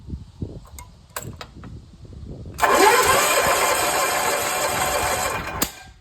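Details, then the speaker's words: John Deere 400 with Kohler K532 twin, not run in a decade, bad governor; compression test cranking about three seconds, even steady strokes, no weak puffs; good compression, a little over 120 psi on the first cylinder. "we'll go from there but yeah let me do a compression test in that motor real quick"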